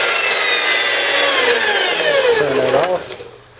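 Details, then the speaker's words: Milwaukee 4208-1 electromagnetic drill press, apparently unused, running in reverse on variable speed: clean motor whine slides smoothly down in pitch as speed is turned back, then winds off. Normal motor run in reverse. "We'll go in the opposite direction. Again, variable speed control."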